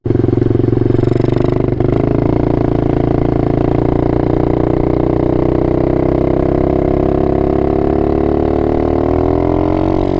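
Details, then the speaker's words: Apollo 125 RFZ small motorcycle engine, worn from abuse: slow heavy tractor-like chugging when lugging at very low revs in too high a gear, risking clutch burn. "when you lug that's logging it sounds like a tractor when you look you risk burning your clutch"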